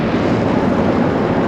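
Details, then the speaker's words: Ford Bronco convertible at highway speed: constant loud rushing roar without rhythm or tone, noticeable above 45 mph and very loud above 70 mph; excessive wind noise in the cabin. "is very loud at anything above 70 miles an hour it starts being noticeable at anything above like 45"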